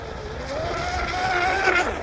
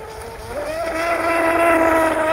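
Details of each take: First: Upgraded vintage 25-plus-year-old MRP Bud Light tunnel-hull RC boat with brushless conversion on 3S, after swapping the stock plastic prop for a smaller TFL 438: smooth, steady motor whine rising as speed builds, bow up, no rattles; sounds better, much faster. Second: Vintage MRP tunnel-hull RC boat converted to brushless, on 3S with stock 25–30-year-old plastic prop: motor tone climbs slowly, holds steady mid pitch over water hiss, sounds deep in the water; owner suspects big prop, may raise outboard.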